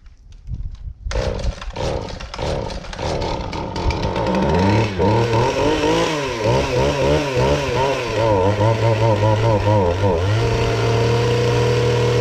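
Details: Husqvarna 450 X-Torq chainsaw: after several pulls it catches, then surges and sags with a wavering, uneven rev. It runs rough and the cause is not yet found.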